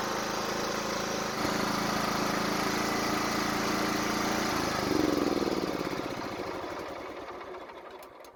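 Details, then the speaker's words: Toro walk-behind mower, low compression, fuel line reconnected and tank refilled; steady even beat about four per second, clean, spins down smoothly at shutoff; still sounds good, normal running. "At least we know it runs, and it still sounds good even for being low on compression."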